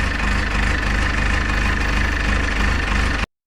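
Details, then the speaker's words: Cold three-cylinder diesel idling; steady loping chug with even pulses, no knocks or rattles: normal cold idle. "There ain't nothing better listening to a 3-cylinder when it's cold. Nothing better than a cold diesel."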